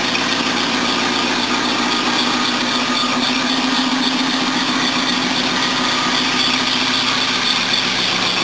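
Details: 1976 Mercedes W123 230, carbureted four-cylinder, idling roughly. A steady high squeal from noisy belts, a fast ticking puff from an exhaust leak, and a buzzy rattle from a vibrating bracket. The engine itself seems okay.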